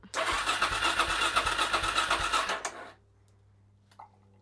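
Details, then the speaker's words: Suzuki DRZ400SM first start in 3 months after a restoration rebuild, battery freshly charged: about three seconds of rhythmic cranking, roughly three pulses a second, stopping without firing while fuel has yet to come through, as expected. "I don't think it's going to start on the button. Obviously, it's going to have to get fuel through it, but I don't think it will take much."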